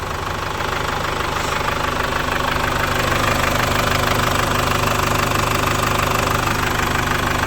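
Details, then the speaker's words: 2011 Chevrolet Captiva diesel idling after fuel pump, injector, turbo leak and fusebox wiring repairs (was hard starting, black smoke, no power): even diesel clatter about three pulses a second, no uneven beats; healthy settled idle. "Nah, kita biarkan idle dulu 5 atau 10 menit. Nah, nanti baru lanjut kita running."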